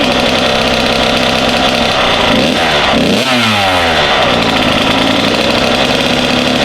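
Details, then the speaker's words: Kawasaki KX 85 two-stroke on first start after a full rebuild, running 32:1 premix with some smoke: crisp, even buzz with a quick blip and clean return, no rattle or knocking; healthy normal running. "I do have some smoke. Oh, do you? Oh. Got a lot of gas. Sounds good."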